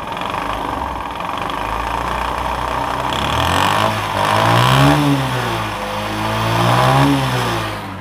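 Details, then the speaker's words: Bajaj CT 100 old motorcycle engine: small single rattles at idle and a hard knock rising and falling with each throttle blip; connecting rod found completely worn, though fairly new; oil supply to rod to be checked. "তো viewers, এই যে দেখেন connecting রডটা সম্পূর্ণ নষ্ট হয়ে গেছে, এই জন্য সাউন্ড করতেছে।"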